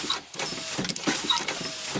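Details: 2005 Chevy Tahoe door power window after repair of a bad motor connection: brisk whirring motor with light clicks and glass rubbing, travelling evenly without stalling; window motor works properly.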